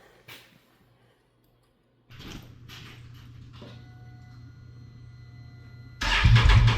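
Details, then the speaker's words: 2022 Can-Am Renegade 1000 XMR V-twin ATV after finding and repairing an intermittent misfire that cut out one cylinder: fires up, settles into an even idle, then revs cleanly, running on both cylinders again. "Hey, you know what? It works. It's running on both cylinders again."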